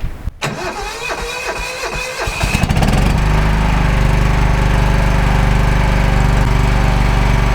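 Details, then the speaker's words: Kawasaki-engined mower with a 5-speed transmission, fired up to check how it runs: brief starter churn, then it catches cleanly into a steady, even low thrum with no misses or knocks; healthy start and idle. "Nothing runs like a deer. Well, I would say that sounded pretty doggone good."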